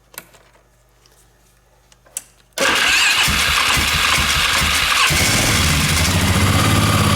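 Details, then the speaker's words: 1999 Polaris Sportsman 500 ATV right after new drive belt installed, started in neutral: brief crank, fires at once, steady even idle, belt grabs a couple of times from being out of round; normal start and idle. "And ultimately, when you're in neutral, the belt should not spin. It spun a couple of times there just because it's out of round."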